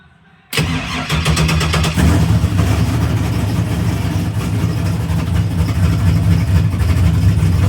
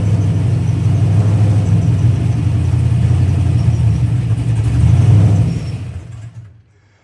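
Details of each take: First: GTO on tune revision 13, cold start: a quick crank catches at once, flares briefly, then settles into a steady, slightly lumpy idle near 900 rpm with over 40 psi oil pressure; a normal cold start. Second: Pontiac GTO, warm, being tuned: after a rev, easing back toward idle, the idle compensation makes RPM fluctuate around 1500, then the engine sags and stalls.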